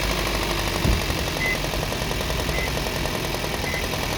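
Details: Engine knock on a Toyota Prius (20-series): a fast, sharp, regular knocking rattles over the running engine at a steady rate; cause unclear.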